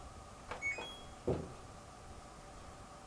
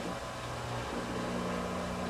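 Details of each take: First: LG ventless washer/dryer drain pump, machine not draining; after a few clicks a loud droning hum starts suddenly and climbs into a rough whine, a failing drain pump that needs replacing. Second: LG ventless washer/dryer after drain pump replacement and modification, running a small test load: even low hum, steady tone, no grinding or rattling; new drain pump running normally and sounds much better than before.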